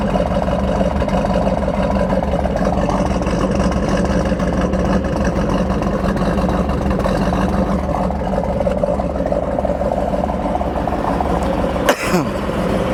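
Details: 1969 Ford Mustang Mach 1, 428 Cobra Jet Ram Air R-code V8, 30k original miles, restored: deep, lumpy burble holding a steady idle with no misses or knocks, one brief bump near the end; healthy running.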